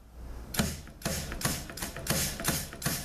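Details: 6L50 transmission rebuild, clutch packs air-checked: crisp air blasts each ending in a firm piston thump with hardly any bleed-off; the seals hold, a healthy clutch pack air check.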